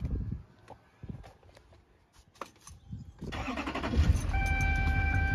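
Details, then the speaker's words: 2006 LBZ Duramax diesel after installing Fleece PowerFlo in-tank lift pump, replacing a sending unit with rust holes, to cure a priming issue: quiet, then fires at once into a steady idle with no stumble or long cranking; no priming issue now. "fires right up no priming issue now"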